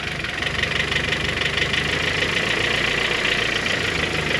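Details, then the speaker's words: Honda H22 cylinder head (G23BK), cold idle: fast, uneven light top-end ticking about three per second. Persists after replacing the lost motion actuators and tightening the timing belt; owner suspects the valve retainers and springs. "it's not the timing belt it's something in the head yeah the only thing I can think of now is just the uh the retainers and the Springs man"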